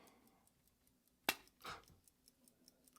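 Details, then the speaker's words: Grandfather's 100+ year old pocket watch, 17-jewel movement, 14k BWC case, found unused in a drawer for decades, wound and opened with the back covers off; quick, even light balance ticks at a steady beat, watch runs normally. "so that's the balance ticking away 17 jewels"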